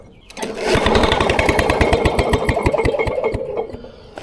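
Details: Vintage Lawn Boy Gold Series 4.5hp two-stroke mower found on the curb: steady chugging about four strokes a second as it turns over but never catches; cranks but won't start, fuel delivery present but no spark, magneto suspected.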